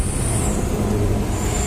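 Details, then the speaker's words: Diesel engine with white eye-stinging smoke after another shop's work, injection pump timing (TDC) found incorrect, possibly jumped: low rough rumble with uneven beat, misfire; incorrect pump timing or leaking nozzle suspected. "Jadi suaranya asapnya putih, nembak gitu bro."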